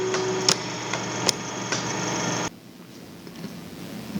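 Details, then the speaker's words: Mopit 5/Mid scrubber tipped on its back, brush motor droning steadily while the water solenoid gives one sharp click each time the solution switch is turned on; solenoid working correctly. "each time you turn on the solution switch you should hear the solenoid make one click"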